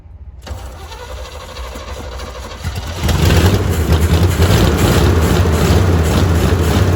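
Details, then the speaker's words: Old 350 V8 on open headers, started with a gallon of gas and carb bowls filled: cranks, catches, then loud uneven lumpy idle; owner suspects it needs a tune-up and is missing on at least one cylinder. "It's just an old open headers 350 that needs a tune-up and probably missing on at least one cylinder, but, but let's see what we can do here."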